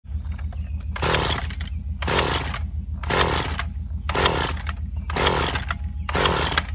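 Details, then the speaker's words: Stihl FS 94R trimmer two-stroke, after tune-up, cold first thing in the morning, runs poorly and sometimes shuts off: hard start, throttle blips about once a second surge then sag roughly; bogging from carburetor out of adjustment. "as you just saw there in the video it is having a rough time starting"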